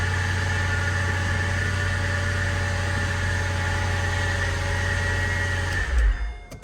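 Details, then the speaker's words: Mercedes SL55 AMG, supercharged M113K V8, first start after installing a power steering pump during an ABC-to-coilover conversion: steady high squeal and rubbing over a rough idle; supercharger belt slipping from leftover ABC fluid on it. "So, the belt has a lot of ABC fluid on it still. So, it was slipping like crazy."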